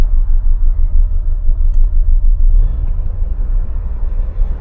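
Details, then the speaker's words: Car idling after coolant work with throttle body disconnected: low lumpy idle pulsing about three times a second and hunting; throttle body lost adaptation, fixed by relearn with Launch 601 scan tool. "but yes Emil's on running really rough so I've just got the uh launch 601 on it"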